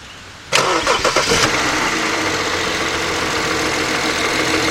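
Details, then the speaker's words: 2009 BMW X6 3.0 with loss of power and code 12543 (30FF exhaust turbo low pressure side): on start-up it cranks, catches and idles with an extra hissy, uneven note on top; possible boost leak, unusual noise at idle. "what's that noise a little bit but oh no we're still there"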